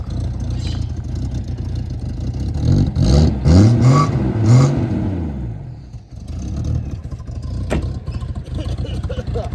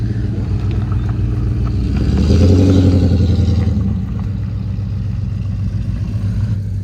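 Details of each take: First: Quick revs after the muffler swap: a deep exhaust rumble that rises, falls and settles, running very rich and smoky with the airflow meter disconnected (new one still needed); the front resonator is still damaged. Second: Ford LTD/Fairlane exhaust after the blown-out old muffler was replaced with a new DIY-welded Kuluin muffler. Deep, even V8 burble at idle rises smoothly and settles cleanly, with no blowing or rattles. The new muffler sounds good but slightly hollow until it carbons up and deepens.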